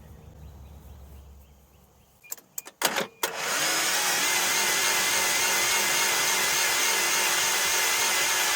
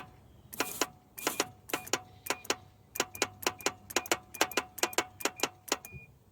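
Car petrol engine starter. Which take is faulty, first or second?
second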